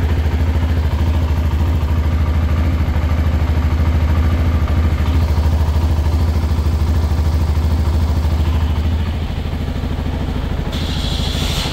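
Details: CFMoto 300SR single-cylinder engine (CKD-assembled in Bangladesh) running steadily with quick light metallic ticking, about three per second, like a sewing machine, over the exhaust; loose valve clearance.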